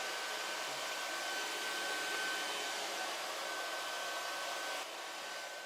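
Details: Air Venturi Nomad 2 portable PCP compressor (4500 psi, auto shutoff) on a 110V wall plug: a smooth, even airy whoosh with a faint steady tone and no knocks or rattles as the cooling fan runs at full speed after power-on; normal.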